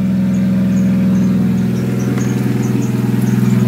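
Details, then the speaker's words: Nissan Silvia S13 SR20DET after engine reinstall and mods, cold idle with water temp 15°C, not revved, loud exhaust: short high chirps about every half second over the engine note from a squeaking alternator. "my engine's at water temps 15° so can't rev it at yet and my nice squeaky alternator"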